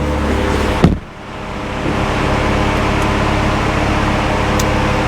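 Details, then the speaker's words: Salvage-auction Mk3 Audi TTS, manual, idling with no coolant in the system: a steady loud fan roar sits over the idle without easing; the cooling fans cut in at full speed because there's no coolant. "as you can hear the fans now cut in because there's no cool and it's not happy"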